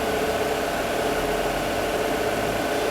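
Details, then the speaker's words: Peugeot 408 with EW10 engine at idle after the torn PCV membrane fault was fixed and the injectors refitted: a steady, smooth hum with no chirp, and it stays unchanged with the dipstick removed. The engine is stable and quiet. "Ó a diferença, ó. Motor estabilizado, sem ruído."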